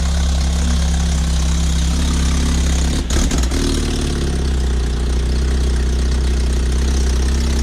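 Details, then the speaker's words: 2005 Lotus Elise with a Weapon-R header and cat delete mocked up, not bolted, no gasket and open O2 sensor holes: a loud, deep, raspy idle with an open, chuffing note. Exhaust leak at the unsealed header. "we got this to hold you can hear you know there's no gasket on it we have a gasket or anything on it we just throw it start it up for the heck of it"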